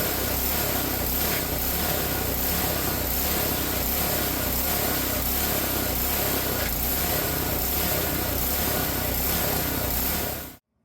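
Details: Ariens snowblower with a Tecumseh engine after its ethanol-fouled carburetor was cleaned: the idle surged at first but settled after a minute or two, possibly from water in the fuel; now an even, quick idle with no hunting. Normal idle.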